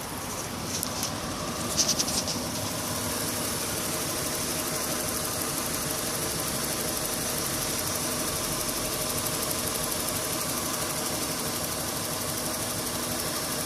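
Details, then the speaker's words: 2001 Honda Odyssey 3.5 V6 at idle with code P0304: steady idle with a slightly hollow, uneven beat, cylinder 4 dead because its ignition coil pack is missing; needs a new coil pack. "two five pack four five pack six koi pack number four is missing the car still running wow what a honda good car"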